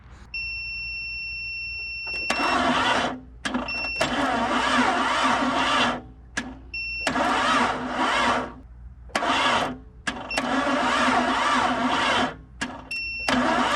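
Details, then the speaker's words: Barn-find 1998 Jeep Cherokee XJ, long-sitting engine, on jumper cables and a booster pack: repeated short, slow, labouring cranking bursts; the battery is too weak and a real battery is needed. Slow cranking from weak battery. "i need more juice to get her to turn over but i guess i need a real battery"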